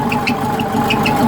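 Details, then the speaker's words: Type 4 engine from a 1976 Porsche 914 converted upright for a 1968 Beetle, just started cold after priming fuel pump: steady, even idle with light belt chatter on top, no knocks or misses; runs smooth. "वह चल रही है वह चल रही है वह चल रही है वह तैयार है ओह माय गॉड और वह चिकनी है"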